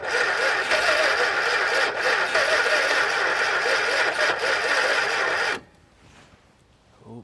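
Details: 1962 Chrysler Newport, 361 cubic inch V8 with TorqueFlite A727 automatic, first start attempt after 17 years parked, water found on it but engine not stuck: even starter chugging about four beats a second for five seconds, never firing; cranks but won't start.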